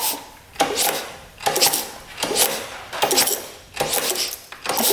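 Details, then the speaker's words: Auction-bought motorcycle kicked over slowly: a rough, raspy metallic scrape comes from the top end about once per second. Owner suspects the cam is wobbling in a worn, oval bore or the top-end bearing is junk; cause unconfirmed. "Doesn't sound too good. Doesn't sound good at all. Something's not right in there. That does not sound good at all. I wonder if the bearing in the top end is just junk."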